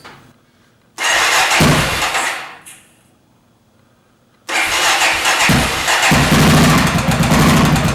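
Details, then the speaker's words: 2001 Honda XR 650L, valve seat suspected: fires, stumbles and dies, then restarts to lumpy idle with light rapid top-end ticking; smoke from cleaning the engine. "so that's our ticket noise we got the smokes from cleaning off the motor"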